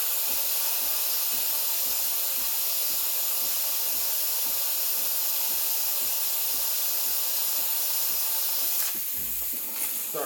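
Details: Breville Barista Express BES870, near new (used 20–30 times), steam wand turned on: strong, even high-pitched hiss without sputtering or gurgling; normal steam wand operation.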